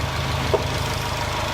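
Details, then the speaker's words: WRX-swapped GC8 Subaru Impreza after engine reinstall and full tune-up: even, steady low idle with a smooth regular pulse, no tapping or stumbling; engine happy and healthy. "engine's back in she's happy she's healthy and looks great engine's great"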